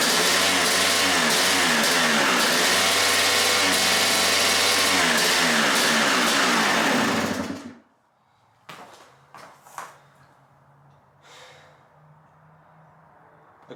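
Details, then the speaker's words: 1997 Suzuki RM250 two-stroke, abandoned bike revived, choke on, idle screw backed out: buzzy engine climbs and hangs at screaming revs without throttle then cuts out; runaway high idle, owner suspects carb, possibly needle wrongly installed on slide. "Has to be something with the choke. Or not the choke, but with the carb making it scream up in revs. You guys see it likes to rev sky high right up to the moon."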